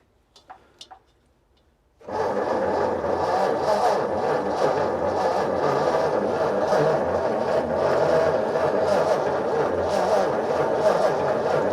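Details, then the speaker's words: Barn-find Ford flathead side-valve V8 sat 30 years, 6-volt, choke on, fuel weeping from a union, fibre washer probably dried: long steady cranking about four beats a second, speeding up slightly, but won't start. "well that's sped up it's start it's trying yeah it is it is trying give a tiny bit more on the fuel in case we've used some"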